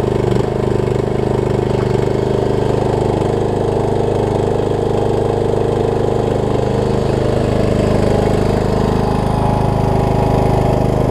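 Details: Craftsman LT3000 riding mower, fitted with a replacement deck and the blades engaged for a test cut, drones steadily with whirring blades and no knocks or grinding. It stuck briefly at first and needs a few mow cycles to free up. Normal running.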